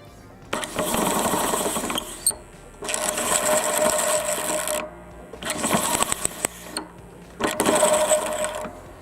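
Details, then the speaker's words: Self-propelled electric pallet fork truck: four ~2 s runs of motor whir with raspy metal-on-metal scrape. The brake hub and spring turn with the drive shaft and a nut catches the mechanism, leaving metal shavings. Possibly worn; half the motor's energy is lost to friction. "гайка, она цепляет за наш механизм, хотя такого быть не должно. Я не знаю, почему так, что там было, возможно, что-то износилось, но в любом случае адекватной работы не будет, потому что половина энергии мотора теряется на вот это трение, и мы видим, что здесь уже есть стружка, то есть оно трется металл по металлу."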